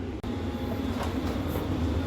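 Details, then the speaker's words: Travel trailer propane furnace lit by jumping the thermostat terminals, new thermostat suspected faulty: steady low rumble of lit burner and blower, even, no cycling or sputter; normal furnace operation. "Just for a quick test, jumping the terminals, and guess what turned on and is lit at the moment? You can hear it. It's under there."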